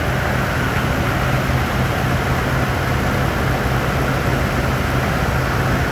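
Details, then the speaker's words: 2007-2011 Toyota Tundra 5.7L V8 just after installing a RedRock 4x4 cold air intake: steady even low engine drone with no knocks, misses or squeals, no warning lights; normal running. "So everything's on. I got no lights on, so that's always a good thing. It seems to work. It sounds good."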